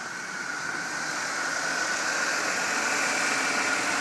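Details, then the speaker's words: 2000 Chevy Impala LS at 101,000 miles with a P102 fault stored, idling and heard under the hood: steady, even hum with faint belt hiss and no knocks or ticks. Normal, healthy idle. "you can see the engine is it's quiet no abnormal noises really at this point belt runs Nic and through you see the engine runs pretty good"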